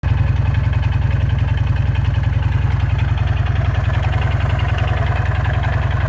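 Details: Jawa 350 motorcycle at idle: heavy, even thumping knock, three to four a second, worsening daily; owner suspects crankshaft and/or connecting rod, booked for repair.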